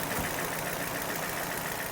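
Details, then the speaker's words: Car with persistent misfire and no fault code: uneven, stumbling idle with irregular low pulses and faint hiss; owner suspects an intake air leak, possibly a missing clip or poor seal. Rough idle misfire. "What I'm thinking now is somewhere around here there is an air leak, and that is what's causing the bad running."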